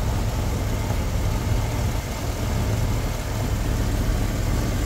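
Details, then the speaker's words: 1972 Lincoln Continental Mark IV V8 at idle after adding a quart of fluid to the power steering reservoir: steady smooth rumble with the earlier pump whine gone; sounds normal. "I put a quart of oil and that Reservoir as well and you don't hear the wine anymore because I feel the power steering"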